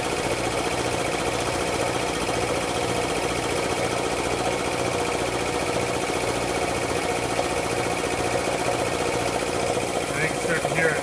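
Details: Air compressor pump building pressure toward about 40 PSI: steady drone with dull, regular clacking about three times a second from one cylinder under pressure; owner suspects piston slap or a bad piston ring, unconfirmed.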